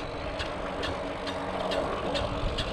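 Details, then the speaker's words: Rize RX Pro e-bike with cable brakes, while braking: sharp regular ticking, about two hits a second with wheel rotation; something striking, rider suspects brake cable touching spokes, not confirmed. "i got noise something's hitting i gotta stop"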